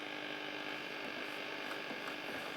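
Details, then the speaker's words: 1954 Regentone Auto 99 radiogram on medium wave with the aerial fitted: steady low buzz under the reception, probably interference from nearby LED lights. "The buzz on it is probably from these LED lights."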